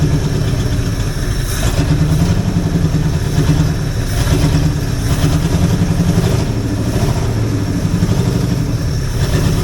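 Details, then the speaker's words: Jeep (FSJ/SJ Cherokee type) engine first start after priming, compression checked: steady low idle with occasional lumpy beat, possible intermittent miss, owner suspects a poorly clipped-in part; no smoke. Not confirmed. "well I heard what I wanted to heard it's actually sounds pretty decent sounds like it might have a m to it and that could be on me getting one of them clipped in over"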